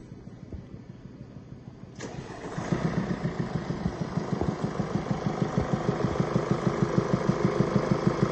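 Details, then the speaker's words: 2017 Mercedes E-Class with 654 diesel engine starting and idling with a deep, regular knock about three times a second, then revved; the cause is worn rocker arms. "you can hear there's a deep knocking noise coming from the engine accelerate okay switch it off now we're gonna start dismantling it and bit by bit show you where we take off what we do and what causes this knocking noise"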